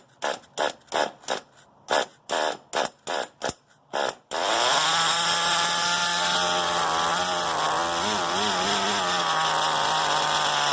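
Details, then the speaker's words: Redcat Shockwave RC car with a swapped, non-original nitro motor, first start after the motor change: about a dozen quick starter whirs, then it fires and runs high and buzzy; a faint rattle of unclear origin at start-up. "I heard some kind of rattling in there I'm not exactly sure what the rattling might be"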